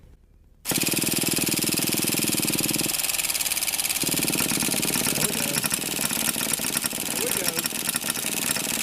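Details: Old nitro RC monster truck (Traxxas T-Max or HPI big block) after 10–15 years of storage: cranking gives way to a high buzzy small-engine idle settling into a steady run; engine started, normal running.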